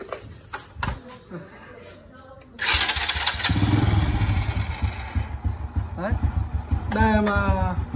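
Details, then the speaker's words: Honda Wave motorcycle after starter clutch bearing replacement: short starter whir, engine catches cleanly and settles into steady idle; starter clutch engaging and releasing properly, normal electric start. "Bạn thấy đấy, nó kêu vo vo một lúc trước khi khởi động. Đó mới là cách làm tiêu chuẩn ."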